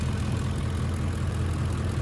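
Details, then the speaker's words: 2006 Ford F-150 5.4L 3V Triton (remanufactured engine, almost 300,000 miles) that had lean codes P2195/P2197 and ran rough. After fixing a vacuum line that held constant vacuum, it idles as a low, steady V8 rumble with faint valvetrain ticking and no hiss; fuel trims adjusting. "engine runs a million times better already and it will slowly uh adjust the fuel trims are run perfect and no more"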